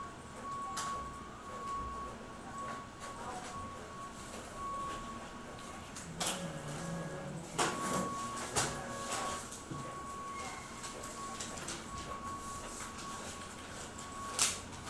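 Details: Xerox WorkCentre 7855 printing with faint steady whine and sharp irregular loud cracks every few seconds; suggested fix is reseating or replacing hard-to-remove toner/drum cartridges, cause not confirmed.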